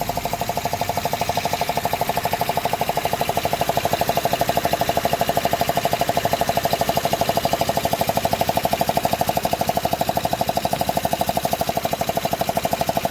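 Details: 2005 Honda Odyssey after a cylinder 2 fault repair with new gaskets and spark plugs: sharp, very regular tick about three times a second over a steady idle hum; engine knocking noise, source unknown.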